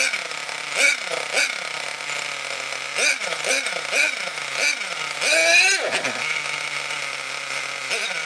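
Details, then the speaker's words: Nitro RC car engine, cold, needle valve then wound out half a turn: small engine screams, revs sag and stumble on each blip instead of climbing cleanly; lean mixture, fuel starvation. "So you may have noticed, apart from the smoke, you may have noticed that I wound the needle valve out about half a turn. When I was revving it up and it was starving for fuel, you could hear it going, and that was partly because it was cold"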